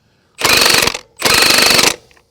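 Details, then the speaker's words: Milwaukee M18 FUEL 1/2" high torque impact wrench (Gen 3) on speed setting three, running trailer lug nuts: two clean bursts of rapid, even hammering, each under a second, no squeal or stalling; normal operation. "there you can see it's not having any problems whatsoever"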